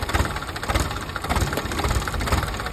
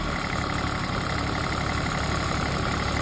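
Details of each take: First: PC 10 diesel that would not start: it idles lumpy and weak, thumping unevenly about every half second; air is still in the fuel system, with bubbles showing in the return line. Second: PC10 excavator diesel brought in for not starting. It holds a steady idle at about four beats per second, but bubbles in the fuel return show air still in the system and it runs weakly; running, not yet fully bled.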